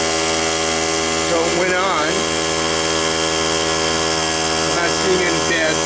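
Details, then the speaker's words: Cheap portable tire-fill air compressor after a melt-down, with the melted power switch bypassed: a noisy, steady, even motor drone with no knocks, rattles or squeals. It is making air and running normally. "It is a noisy thing. It does seem to be making air."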